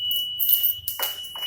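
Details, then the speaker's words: Motorcycle fitted with WiFi smart keyless alarm, anti-theft triggered by forced opening or vibration: constant shrill high beep under handling noise and knocks; alarm sounding. "Kalau dipaksa dibuka ini pasti bunyinya ya kalau kalau masalah lagi konflik terpaksa buka pasti bunyi alarmnya"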